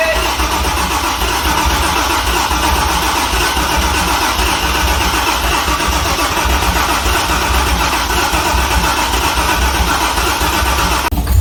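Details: C6 Corvette with a junkyard engine on a Holley Terminator X, cranked with the jump starter in jump start mode: the starter whirs the engine over steadily but it never catches. Owner unsure it is getting fuel; a crank no-start from no injector power.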